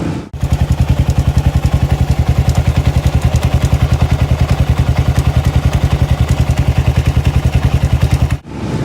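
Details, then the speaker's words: Kawasaki single-cylinder: steady thump with a fast, regular tick about three per second from inside the case, heard before it was pulled off the road; the balancer chain had no tension because the doohickey tensioner spring broke, and the chain chewed the crankcase. Fixed with an Eagle Mike kit. "The chain itself had no tension on it whatsoever. Absolutely no tension on it whatsoever. And I could hear the tick, tick, tick that was going on inside the case just before I pulled it off the road, when I noticed that it was a little noisy, a little weird"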